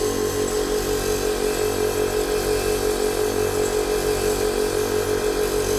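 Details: 1998 Blazer air ride compressor, freshly wired, filling the tank: steady even electric hum with regular pulsing of about three beats a second; normal compressor operation.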